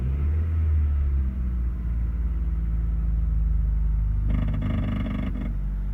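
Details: Honda Accord engine: low rumble, then a buzzy metallic clanking rattle lasting about a second as revs pass a certain RPM; cause unknown, owner asking for help.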